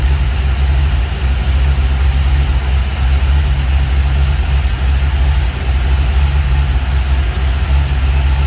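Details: 1949 Chevy 3100 truck with newly installed V8 motor, first run in garage: deep even rumble at steady idle, no knocks or misses; sounds good.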